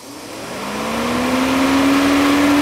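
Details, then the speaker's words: Engine off about 30 minutes, cooling fan whirs up to steady loud hum once connector reconnected and stays energized; suspected shorted fan control module, to be tested. "right there as you guys can hear the fan is on and this engine has been sitting here for about 30 minutes now"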